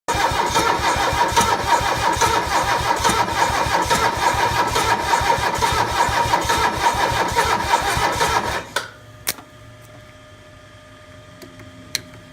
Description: My Mercedes om617 won't start. Just installed new glowplugs.